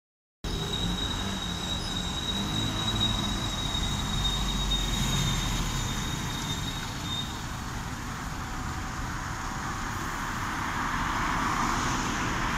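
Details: Arriva bus (X11) on a street: thin, steady high whistle over the engine rumble for several seconds, then fades; source unknown.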